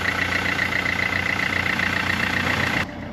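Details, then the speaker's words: 2012 Mercedes C-Class just after water pump and auxiliary belt replacement, refilled with coolant, started to run up to temperature and check circulation; steady even idle with faint high whirr, no knocks or squeals, healthy. "No, I've just got to start it up, run it up to temperature, make sure it's getting hot and circulating, check pipes, all that good stuff."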